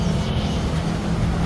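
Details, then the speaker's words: Yamaha Aerox V2 (non-ABS) with idle hunting, code 42, after fitting a secondhand ECU: low, steady putter, no hunting; idle normal now, check-engine light still on. "Okay na rin yung Menor niya ito yung Menor niya"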